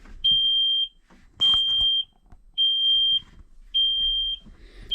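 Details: Kenworth T370 diesel truck, key on, engine off, starting a fault-code scan: high steady half-second beep repeating about once a second; cab warning buzzer, cause unknown.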